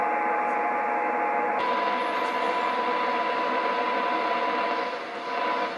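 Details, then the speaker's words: Kenwood TS-950S digital HF ham transceiver, fed a strong 1 kHz modulated signal-generator tone: thin steady tone faint under loud hiss, no S-meter indication, should be off the scale; weak received tone, very deaf receiver. "So, it's processing the signal, but uh the receiver is pretty dead here. I should be uh at that amount of level."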